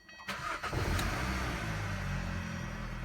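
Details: 2013 Hyundai Sonata after repairing a check-engine fault (P06A5 sensor reference voltage D circuit high, with P0193) and a drivability issue: brief crank, the engine fires promptly and holds a steady, even idle; the check-engine light is gone.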